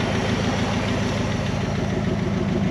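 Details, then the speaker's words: 1974 Dodge W100 Power Wagon V8, running after sitting since 1983. Even idle with raspy puff on each firing pulse from a big exhaust leak before the muffler; runs too well for a burnt valve: exhaust leak. "big exhaust leak right here before the muffler sounds pretty good it's running too good to have a burnt valve itd be popping back"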